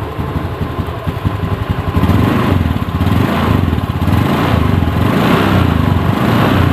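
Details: Honda Beat ESP scooter ticking over at idle during a charging-system check, multimeter on the battery reading 14.2 V, which is normal charging; steady even pulse with no knocks or misses.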